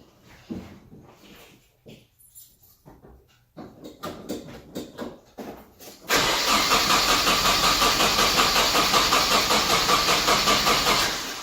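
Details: Nissan 240SX crank no start despite checked grounds, new coil, new plugs, fuel checked: after handling noise the starter turns the engine over at about two to three beats a second but it never fires.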